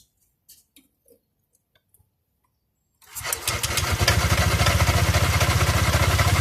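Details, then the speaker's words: Honda Click 125i scooter starts and settles into an idle with a steady knocking, about four per second; cause unclear. "อ่ะกูก็มาลองติดเครื่องฟังเสียงดูนะครับอ้ะมันก็จะมีเสียงเพื่อนั้นก็ก๊อกๆนะฮะ"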